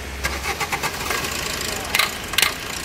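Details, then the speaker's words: Maruti Suzuki Swift petrol engine on start: sharp ticking knocks about four a second as it catches; also low mileage and poor pickup, no error codes; attributed to a faulty fuel filter sensor. "Engine में खटखटाहट ध्वनि है और यह तत्काल होगा।"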